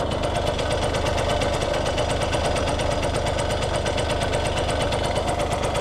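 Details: Restored Yamaha YSR50 with 198 original miles: crisp, even two-stroke idle with quick, steady firing pulses and no misses; motor sounds like new.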